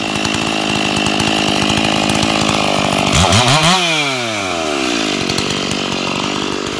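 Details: Stock MS461 with eBay ported muffler, well worn, over a year of cutting; hand round-filed chain used a week, no touch-ups; felling cut in big hard northeastern red oak, camera a ways back. High steady scream holding revs, no bogging or chatter: sharp chain under load.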